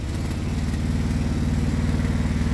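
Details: Quad (ATV) engine idling high after CDI unit fiddling; fast, even single-cylinder putter held well above tick-over; carb needs adjusting, so it roars when started.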